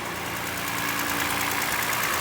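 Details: Toyota Highlander 2GR-FE V6 at a cold idle, heard from the side, makes a fast, light, regular knocking over the engine hum. The engine burns no oil and has no leaks; piston slap is suspected, and the engine is to be removed and rebuilt.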